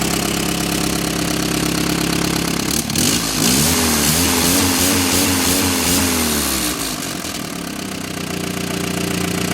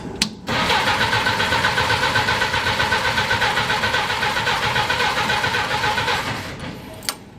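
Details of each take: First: Willys Jeep engine after brass plug fix between cracks, early morning, fouled plug suspected earlier: loud steady idle, even low pulse, some revving, no misses; running normally, no radiator bubbles yet. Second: Willys Jeep engine after cracked block repair with brass plug, carburetor just filled with gas: about six seconds of even cranking, roughly four compression beats a second, never fires; won't start, a hole later found in the gas line.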